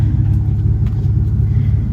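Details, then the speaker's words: Mitsubishi 3000GT with owner-fabricated custom single-exit exhaust, resonator added temporarily to clean up the sound: deep, steady low boom from the tailpipe with a raspy edge, quieter and better than before but still a little brappy; exhaust drone persists. "Oh, it's quiet, guys. mean, don't get me wrong, it's way better than before, but it's a little brappy for my taste."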